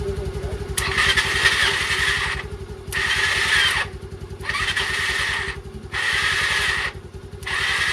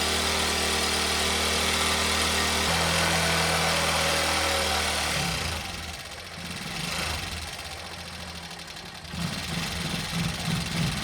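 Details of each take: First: Old Bajaj Pulsar being restored, jump-started from a scooter battery after fitting the correct fuse; starter gives a smooth high whir in short bursts with no engine rotation, and the starter is suspected of not engaging properly. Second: Old Bajaj Pulsar single-cylinder bike, started with a little petrol poured directly into the carburetor rather than from the tank, confirming a fuel supply problem; steady, even idle thump, running normally.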